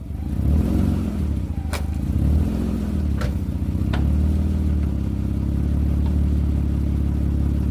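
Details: 2003 Mitsubishi Galant idling with new exhaust pipe section fitted unclamped (front section possibly needing welding, gap of a couple millimetres at back section): low, steady idle with a few light clicks, no exhaust blow or puffing; runs normally.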